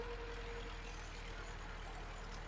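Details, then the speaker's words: 1974 VW Passat B1 with a swapped GTI engine, under load after an earlier intermittent misfire. Lumpy, uneven running with a missing pulse: cylinder four dead, and cylinder one may also be unhappy. Misfire, dead cylinder. "Yeah, we've only got three cylinders. You can hear that. It's falling off mad."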